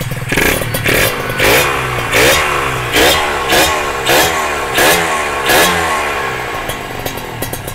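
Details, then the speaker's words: Kawasaki ZX150 two-stroke with power valve fitted, running without exhaust or coolant: sharp, raspy bark in repeated throttle blips about once a second, rising and dropping back cleanly; engine sounds light and healthy. "Tapi kalau kita dengar dia punya bunyi enjin ni kan, enjin dia ringan lah."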